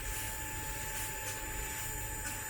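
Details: E-bike upgraded from 350W to 1200W hub motor with new controller, running at lowest speed setting: steady even electric whine at one pitch, no grinding or clicking; motor turning smoothly, normal.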